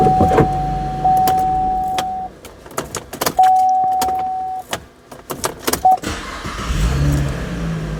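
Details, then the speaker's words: 2014 Camaro with ignition key that sometimes can't be removed, as the shifter microswitch fails to close: sharp, distinct clicks in short bursts under a steady door chime; key release solenoid working normally. "You can hear that solenoid clicking."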